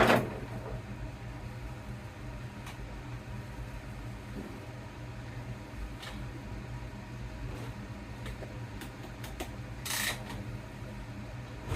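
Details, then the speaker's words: 2011 Yamaha YZ250F with a hot-start complaint, started ice cold after reassembly: steady, even low idle from the single, running cleanly without stumbling, with a room fan humming in the background. "All right, so let's see how it starts. Ice cold. I'm going to put the fan on, so it's going to make some noise."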